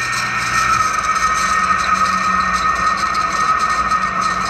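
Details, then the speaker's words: Window-type aircon condensing fan motor, loose on the bench: steady high whine over a rough, scratchy rasp; noisy from a dry, worn fan motor bearing, to be replaced. "ayun kung napapansin niyo maingay siya maingay siya nga maingay siya talaga so patay na"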